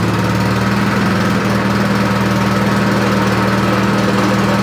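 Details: Honda single-cylinder tamper (ground pounder) after oil change, new spark plug, OEM air filter and valve adjustment, started on choke: catches and settles into a steady even thump at low throttle, no misses or knocks; runs healthy.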